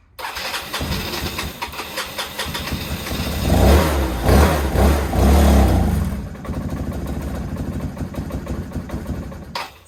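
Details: 2014 Yamaha Zuma 125 fuel-injected scooter stored since 2017: steady cranking, a brief loud burst of firing on starting fluid, then back to cranking; engine starved of fuel.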